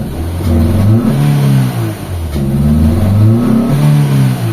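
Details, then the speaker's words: Mitsubishi Lancer GLXi that would not start on the key even after a starter replacement: untuned idle, low power, and revs climbing slowly and unevenly, reaching only about 4,000 rpm; the engine is misfiring. "Papansin niyo yung idle wala sa tono. Ayan oh. So low power 'to mga boss. Pagka tinapahan ko yung gas pedal tingnan niyo hindi siya ano hindi siya aangat agad."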